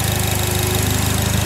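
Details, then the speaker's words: Fire GL at idle: fast even light ticking on steady idle, regular with engine speed; owner thinks it almost sounds like fuel injectors but is unsure. "see that ticking almost sounds like fuel injectors too but I don't know I don't"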